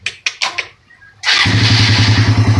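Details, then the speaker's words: Suzuki Raider R150 after repair of engine rattle (earlier sounded like a helicopter, marbles fighting inside), fixed with a small inexpensive fix; few kicks, fires and settles into even quick beat, no head ticking. Normal start and idle. "dito Tahimik ang makina mga Bossing oh Kanina parang helicopter yan"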